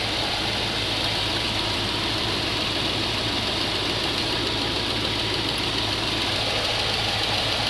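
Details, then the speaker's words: GMC 3500 454 V8, warm idle, valve covers off during rocker adjustment (rockers found very tight, out of adjustment): quick light ticking about three per second from one valve; suspected valve tick, not confirmed. "one of them's tickin now so this one it was that one I think you're always going to hear a little bit of ticking so"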